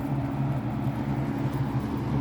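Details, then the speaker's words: Vintage Lakewood P-223 20-inch three-speed box fan, early-mid 1980s, McMillan motor: steady low hum with soft whooshing air, even and smooth after switching from low to medium; fan running normally. "low speed is pretty quiet it's moving the air turn it up to medium it's going to start to get loud"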